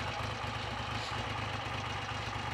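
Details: Triumph Trident T150V triple, first start in over 2 years, ticking over smoothly and evenly with a steady low beat and no misses or knocks; healthy normal idle.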